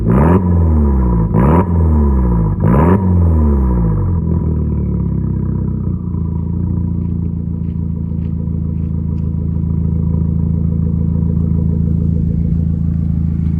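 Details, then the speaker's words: Car with 115,000 miles, short ram intake, possibly tuned ECU, battery just replaced after going dead, airbag/ABS/traction/brake lights on: three cranking surges, then catches and settles into smooth, even, low idle, no knocking or ticking; normal idle. "so i think purr's like again though it's very quiet"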